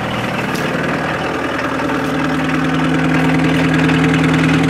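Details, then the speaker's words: 1984 VW Rabbit Diesel, 5-speed, in pristine condition, just started and idling, heard from inside the cabin: an even, quick diesel clatter at about three knocks a second, steady, "sounds like a tractor"; a normal healthy diesel idle. "yeah sounds like a tractor"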